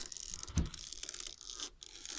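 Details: Creak from the top of the front right strut when the steering wheel is turned, a single dry crunch; still creaks with the tie rod disconnected, so the worn strut top mount is the source.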